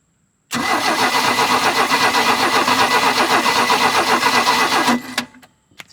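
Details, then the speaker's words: 1986 Larson V175 Seneca ski boat engine in neutral, gas poured in carburetor: even cranking near four beats a second for about four seconds, no firing; spark tester shows no spark, points/distributor to be checked. "all right so I got my spark tester on there I spun it over and it's not uh it's not sparking"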